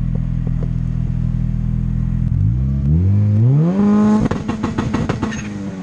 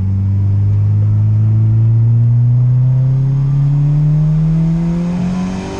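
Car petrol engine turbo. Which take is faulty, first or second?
second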